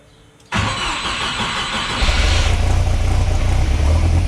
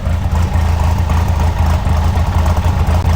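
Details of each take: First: Chevrolet S10 swapped with a big-turbo 3.0L Mercruiser boat engine on a makeshift-wired computer, dead cold: brief crank, then a lumpy, uneven cold idle with heavy low rumble; startup parameters are still finicky because it is tuned only for warm idle. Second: Chevrolet S10 swapped with big-turbo 3.0L MerCruiser cammed four-cylinder, on a new engine computer, idling cold at 800 rpm versus usual 1,100: deep, lumpy loping idle about three pulses a second; cammed four-cylinder idle.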